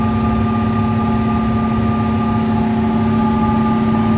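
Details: Old Carrier AC after replacing a smoked furnace fuse, furnace running: steady hum with constant mid tone and even compressor drone, no knocks or rattles; running smoothly.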